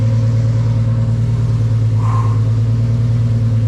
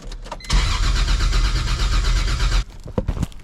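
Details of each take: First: Turbocharged 1.5JZ-swapped BMW E46 M3 on its first start after a two-year build: deep, steady exhaust with an even pulse and no knocks or ticks, turbo spooling, air-fuel around 13.8–14 (rich); engine runs smooth and healthy. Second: E46 BMW M3 with 1.5JZ engine swap, first crank after two-year build: strong even starter cranking about four beats a second, never catches; no base map loaded yet.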